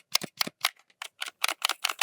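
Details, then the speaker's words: GameCube controller after teardown repair of mushy L trigger: about ten crisp light clicks in two seconds, each snapping in cleanly; trigger fixed, normal click. "those are clicking in just nicely now which is amazing. So, that's essentially fixed."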